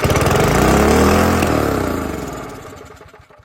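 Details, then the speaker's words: Older Briggs & Stratton 3 hp engine found in scrap, started on starting spray with the choke opened: it catches and instantly races flat out, holds a high even howl, then winds down; overrevving, suspected because there is no governor linkage. "Well, that instantly went all the way to the moon, which is probably because this thing has no linkage whatsoever, and that's not free."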